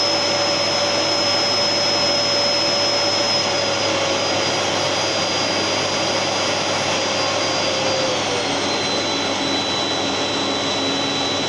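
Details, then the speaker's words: Gerer8 Power MAX 2000W vacuum cleaner, older unit, started at highest setting then dial turned down to lowest; steady loud whooshing roar with high whistle easing slightly lower; motor runs smoothly, pretty loud on high. "so that's its lowest setting [Music] and that's its highest setting so yeah it is pretty loud actually when it's uh when it's on high"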